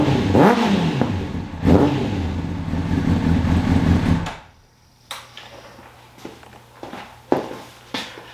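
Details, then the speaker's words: 2003 Honda CBR600RR, first start in 18 years after new ECM, fuel pump, relays, battery and zener diode, started with starter fluid, warm: rough revs with sharp pops over the exhaust; backfiring flames from the exhaust, cause unknown. "All I know is that it makes a fireball the size of my head when it's warm, and it's running."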